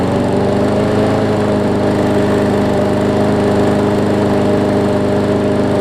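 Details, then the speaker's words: Newer Murray push mower, after shortening the throttle spring: steady, even drone at constant speed with no surging or hunting, normal running speed, about right. "that is definitely better i might see if i can shorten it up just a little bit more just so it you can get some throttle adjustment to it"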